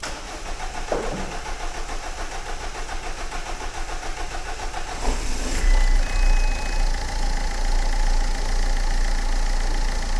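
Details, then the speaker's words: Diesel engine after fuel filter replacement and priming; cranks briefly, starts quickly, settles into steady even idle with no misfire or knocking; normal start and idle. "And we'll turn the key. And it should start pretty quickly. Yeah. >> Standard."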